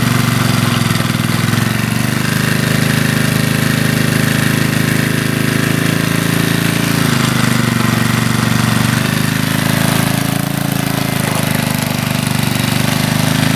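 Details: 1981 Briggs and Stratton single-cylinder on a garden tiller, after a carburetor rebuild, air cleaner off, checked for leaks: loud, steady putter at even speed with only a brief dip and recovery. Runs smoothly.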